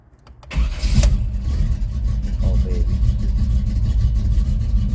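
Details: 1983 Chevrolet S10 Blazer V8 with big cam and ceramic-coated headers, cold start: quick crank catches, then deep uneven loping idle; healthy.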